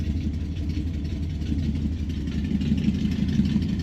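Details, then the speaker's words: 1968 Dodge Dart V8 cold start with choke on, new tach installed: low, even rumble idling around 700–750 rpm, smooth pulses with no miss or tick. Normal cold idle. "She's idling around 700 RPM, 750. All right. And the choke is applied. Let it warm up a little. Sounds pretty good, huh?"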